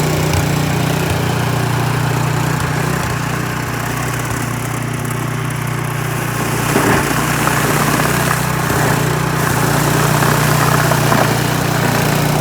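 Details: Troy-Bilt snowblower that would not start, with an animal nest found inside, reassembled, then primed and started: the small single-cylinder engine putters steadily with slight speed hunting, no rattles or grinding, running normally.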